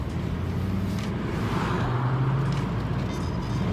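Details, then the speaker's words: Car driving after the clunk repair, with axle bolts torqued and a stiff polyurethane lower engine/transmission mount fitted: steady low rolling drone with no knocks or clunks, so the drivetrain clunk is gone. "oh I'm so happy that clunk is finally gone listen to this listen to this"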